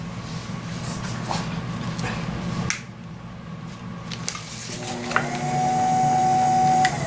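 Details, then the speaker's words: Pottery wheel after repair (new switch fitted): quiet at first, then the motor spins up to a clean, steady whine with no hesitation; wheel now running properly. "off oh that works nice that's great okay another one done"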